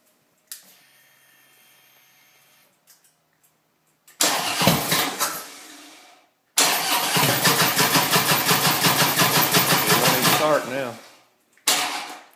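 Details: Harley-Davidson motorcycle, raw gas smell present; repeated bursts of starter cranking at about three turns a second, stopping and restarting, never catching; cranks but won't start.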